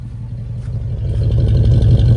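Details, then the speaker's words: Second-gen Dodge Ram after new plugs, wires, distributor cap and old rotor refitted, which cured a no-start and stumble: the engine climbs smoothly when revved with a steady low drone and no misfire; it runs normally. "Anyway, it's running. It's running pretty good, actually. Sounds good."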